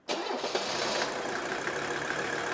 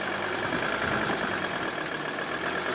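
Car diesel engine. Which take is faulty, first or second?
first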